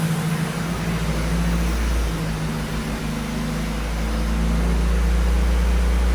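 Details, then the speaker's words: Fuel-injected 1981–82 Camaro/Firebird, first start after sitting about 25 years: smooth, steady hum, idle settling, 50 psi oil pressure, a little smoky but no knocks or rattles; runs fine. "It's a little smoky. Sounds good though."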